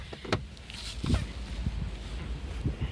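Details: Lada Kalina (VAZ 1118) sedan: dull, uneven low clunks each time the steering wheel is jerked, heard under the feet near the steering rack; knock grew over two months; tie rods and ends are new; owner suspects the rack, not confirmed.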